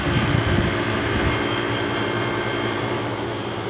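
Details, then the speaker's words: Old Traulsen refrigerator just restarted after refit with a scrapped walk-in cooler condenser coil, rewiring and R134a; steady even hum with the condenser fan whirring, no knocks or rattles; refrigeration system running normally. "running everything's running get a condenser fan pulling out that air"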